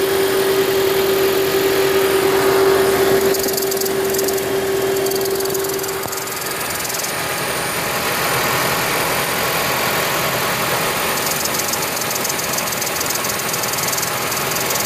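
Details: 2010 Toyota Prius with over 300,000 miles: steady airy hiss over the running petrol engine, probably from the EGR valve not closing fully. Hiss disappeared after cleaning the EGR valve; a separate engine knock remains.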